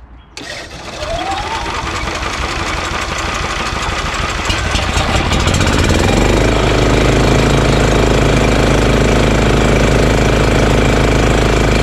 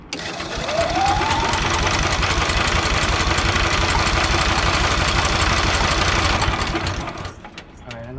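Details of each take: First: EZGO Workhorse golf cart with Honda GX340: starts, climbs, then settles into low steady even idle, no knocks or misses, though still engaging the belt. Normal idle. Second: EZGO Workhorse utility golf cart repowered with Honda GX340, after relocating kill switch to dash; fast even cranking for several seconds without catching; owner suspects the switch or lack of fuel, cranks but no start.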